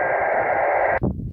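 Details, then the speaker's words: Leixen VV-898 on 2 m FM with homebrew dipole, portable: harsh buzzy data-like hiss swamping the receiver then cutting out; pager signals breaking through by intermodulation due to poor front-end filtering. "that's a little bit noisy that's noisy if you listen to that noise you'll hear that it's actually pages"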